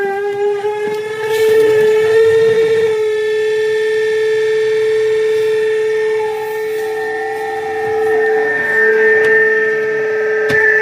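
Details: LG washing machine, before repair: a loud, steady, whistling hum from the spin-dry section, far louder than a normal run; abnormal spin noise.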